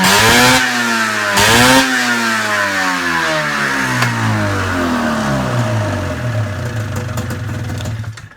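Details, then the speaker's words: Arctic Cat ZR 440 two-stroke snowmobile, first start after rebuild, carbs not yet adjusted, power valve unhooked: revs climb and fall with throttle blips, then sag and die when released; idle set too low, needs raising. "I never opened up the carbs yet, so it dies when I let go of the throttle, but I just held the throttle open actually a fair bit, and she runs. Definitely too low."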